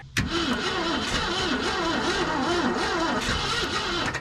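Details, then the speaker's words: Abandoned 1990 Ford F600 box truck, long-sitting, fuel and spark confirmed; starter turns the engine over slowly in a lazy, uneven rhythm for several seconds without firing: slow crank, no start, owner suspects too slow for compression. "honestly I think she's just not cranking fast enough to head off on some good compression cuz it's probably been a minute we got fuel we got spark uh we've got pretty slow crank"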